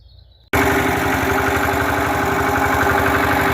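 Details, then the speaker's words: Lister diesel engine bolted onto a concrete mixer frame: loud, even thump about four beats a second after it catches, holding a steady idle with no misses or knocks. "So there's a concrete mixer and Corneille started it and it's running."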